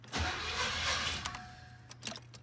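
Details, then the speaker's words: 1986 Cutlass 305 V8 after new flywheel and correct starter: brief cranking catches quickly into a steady, even rumble with no grinding or misfire; healthy start. "there we go that sounds like a healthy 305 to me except for the this getting stuck in there that's better"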